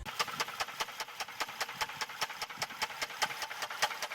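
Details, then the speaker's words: Engine knocking or pinging under the hood while driving, warned as a sign of major engine trouble: sharp, evenly spaced metallic knocks about 2.5 per second over a faint engine run; cause suspected, not confirmed. "Now imagine you're driving, and you start hearing a knocking or pinging sound coming from the engine."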